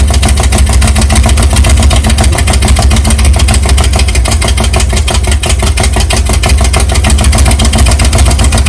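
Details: Big-cam 454 Chevy big block on an engine stand, early start with no tuning, for a rat rod: loud deep choppy idle with uneven lope never settling; carburetor has real problems; camera mic may make it sound like rod knock.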